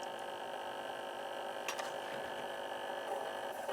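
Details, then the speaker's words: Ross RE-3430 eight-track player motor, supply sagging from 14 to 8 volts under solenoid load: steady buzzing whine with a rough, scratchy edge, a dry motor that needs lubrication. "That motor doesn't sound good either."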